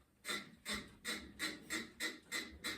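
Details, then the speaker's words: Sole elliptical: sharp, high squeak about three times a second with each stride, traced to the flywheel brake assembly, confirmed by swapping that assembly out. "So, just keep that in mind when you're troubleshooting your ellipticals. Um, that sort of squeaky noise. Even though you wouldn't think it would be uh in your flywheel, it certainly is."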